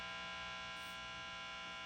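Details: 1950s Gibson BR-9 tube guitar amp on the bench, no grounded power cord installed yet, with nothing played: steady buzzy hum with a harsh edge; preamp hum that became pervasive after the preamp screen and plate load resistors were fixed.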